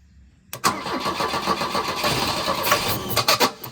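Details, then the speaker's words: Volvo 242 abandoned in the woods, first start after long storage: cranks, catches and stumbles into uneven lumpy sputtering idle, no knock; owner suspects it needs carburetor work and fresh fuel. "running. I don't know if you want to call that running, but it runs. It's not knocking or anything. That doesn't sound good. So, I mean, it runs. It just needs... It needs carburetor stuff and fuel and all the things."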